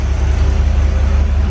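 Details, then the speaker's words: Corvette V8 after a tune-up with plug wires fixed, running on a charger: deep loud idle rumble with a raw puffing edge; exhaust leak felt at the passenger-side collector, exhaust donut. "Hopefully she sounds a little better. Let's see here. Sounds all right. Definitely got an exhaust leak."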